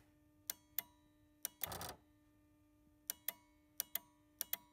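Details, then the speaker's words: Car relay clicking with the blower off while battery voltage is low: sharp, crisp clicks in quick pairs, about ten in five seconds, over a faint hum, with a radar detector alarm warning of low voltage; the relay switches normally. "you can hear the relay is clicking and then I push the other button on the bottom and that clear that was the radar detector"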